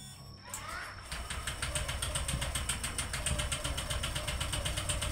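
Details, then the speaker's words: Honda Vario 125 (old model) is hard to start with a heavy kick: starter whirs, then cranks steadily without catching until the battery drops; pickup/pulser checked fine, no compression found, suspected blown head gasket or leaking valve. "jadi kita juriga di bagian parking head yang jebol atau klep yang bocor karena kita tes bagian engkol itu tidak ada kompres presinya."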